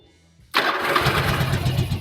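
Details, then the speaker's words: Warm Yamaha Virago 1100 V-twin before carburetor synchronization: it catches and settles into an uneven, lumpy idle with an irregular beat, described as terrible, sounding like the carbs are out of sync. "look look how it is [Music] Look how it is It's terrible"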